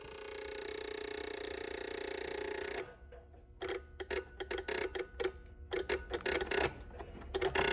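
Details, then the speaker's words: Ford reman OBS 7.3 diesel on a test stand, powered by one positive wire via push button and jumper leads: a steady hiss, then rapid irregular bursts of clicks; relays chattering on a poor jumper-lead connection that must be set just right. "So, like you saw there, if those relays are clicking, you got to get it just right till they stop clicking. That's probably more so just a connection issue because I'm using jumper leads and blah, blah, blah and everything else."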